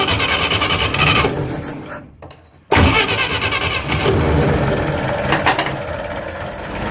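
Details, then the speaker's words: Atomic 4 boat engine started unchoked via the solenoid: short crank, then a steady, even idle with no misses; sounds much better, needs a new gasket. "I didn't choke it so you wanna talk about a big difference yeah I gotta make a new gasket for that oh it sounds so much better"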